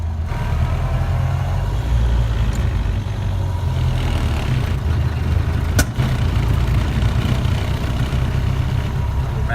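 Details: 1931 Ford Model A truck driven at slow speed: slow chugging engine with one sharp pop partway through; occasional backfire at low speed, possibly mixture needing richness adjustment, not confirmed.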